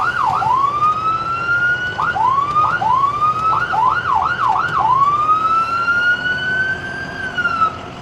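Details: Siren on a Medtec ambulance with 83,754 miles runs through its tones: a rising and falling wail, fast yelping sweeps, then a long slow wail; it works normally.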